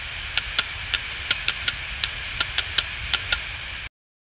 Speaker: this hard disk has the click of death when I switch it on you will notice that it will Start Up Normally and then there will be a repetitive clicking